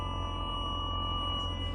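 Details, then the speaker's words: 2003 Mercedes SL55 AMG R230, bought with 78k miles, engine running: a piercing, transformer-like high-pitched whine from all speakers that reacts to the accelerator. The radio had cut in and out with a loud pop; owner suspects a faulty amplifier. "Oh, God, sound like a transformer. Oh my gosh."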